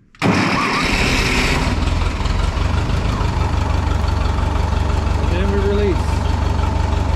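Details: 1951 Ferguson TO-30 tractor at idle throttle with a jumper wire giving 12 volts to the coil positive side: catches after a brief crank and settles into a steady, even low idle with no stumbling.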